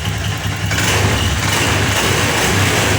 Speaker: nah Keti kontak on di sini semuanya keadaan normal teman-teman lampu mil pun tidak berkedip ya akan kita engkol karena nya tidak bisa motor sudah stabil stasioner